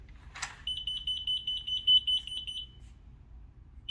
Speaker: gonna get a five beep sequence so it beeps quick and then it's gonna be a five beep ready